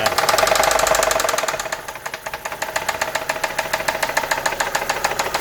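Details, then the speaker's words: Engine at idle with no dashboard warning lights: heavy, sharp, metallic knocking about three to four per second; suspected rod end bearing or possibly lifters, and Lucas oil made no difference; unconfirmed, engine being opened up. "This is very bad. This looks to be probably very end bearing, I'm assuming."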